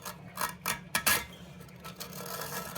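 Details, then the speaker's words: Toilet clogged beyond plunger use, thicker auger fed into the trap: irregular scraping clicks and rattles as the cable catches on the lodged blockage, suspected culprit. "catching on the the blockage I can even hear it rattling in there so I'm guessing this is the culprit"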